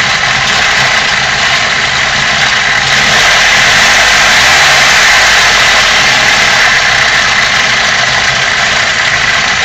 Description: New Bosch 0280155710 injectors on a 150K mile BMW M42. Rough idle.